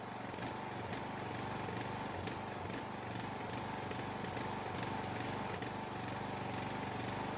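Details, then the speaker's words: Neglected Ariens 42" riding mower, 17.5 hp Briggs & Stratton, Nikki carburetor, with fresh fuel, new filter and good fuel flow: a lumpy, irregular, wavering beat that hunts at this throttle setting. Smooth only at certain positions; owner suspects the carburetor. "Only seems to run smoothly at certain throttle positions. I'm not quite sure what's up with it. I'll have to do some more poking around. Definitely a carburetor issue, but not quite sure what."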